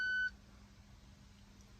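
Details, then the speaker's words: VW Golf GTI, ignition on and reverse selected: a single sharp high beep, then only a faint cabin hum. Parking sensor fault code P01625, front parking assist warning buzzer open circuit or short to ground; replacement buzzer part 8E0 919 279. "So when I turn the ignition on, put the transmission in reverse, we get this fault."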